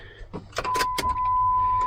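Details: Jeep WJ after replacing busted fuel pump assembly O-ring that caused pressure loss and hard starting: key-on clicks then steady high hum about a second, pump priming normally and now holding pressure.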